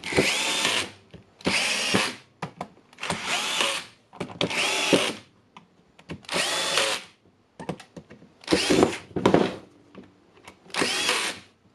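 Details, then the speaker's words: Makita DHR202 18V cordless hammer drill, after brushes fitted and housing closed, forward/reverse button checked: repeated short bursts of clean, even motor whir spinning up and stopping; motor running smoothly. "Okay, we have the brush. It works nicely."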